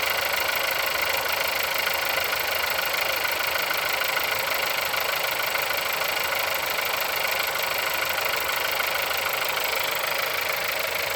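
Cold idle with a sharp, even knock of roughly three per second over the engine note; the source isn't pinned down.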